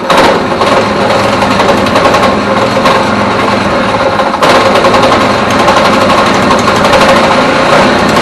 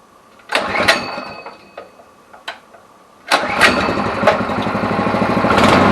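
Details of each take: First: Neglected go-kart single-cylinder engine, freshly fuelled with petrol and oil, running rough only on choke, with a loose, irregular knock over exhaust rattle; sounds like rod knock but suspected worn, sloppy clutch drum, to be replaced. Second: Neglected go-kart small engine after new carburettor and oil change: a few pull-start tries, then catches into fast steady putter that keeps running; normal start and idle.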